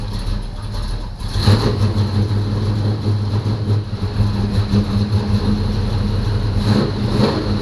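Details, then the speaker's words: 1985 Chevy C10 short bed V8, bought non-running and first run after a starter install and added oil: deep, even rumble with no knocks, misses or squeals; normal idle. "it sounds awesome guys"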